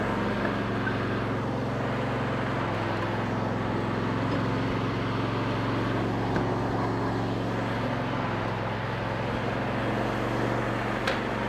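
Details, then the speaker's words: Free lawn mower tractor after valve adjustment, cleaned terminals and reassembly: steady even engine drone with no knocks or misses, faint outdoor background. Normal running. "so now i'm actually going to attempt to start it and if it doesn't start i don't know what's going to happen but it should spin over"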